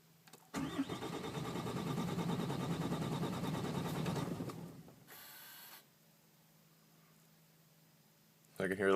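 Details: 2008 Ram 6.7L Cummins diesel with no start and no codes: the starter cranks steadily for about four seconds with no firing, then quiet; crank no start, cause unconfirmed.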